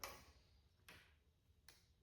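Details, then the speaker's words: 2005 Kawasaki Ninja 500 with an electrical starting fault: two sharp single clicks about 0.8 s apart with no cranking while jumping power and ground at the starter; starter gets power but does not engage. Cause not confirmed. "The clicking noise is the starter trying to engage, >> but it's only powering it, you know?"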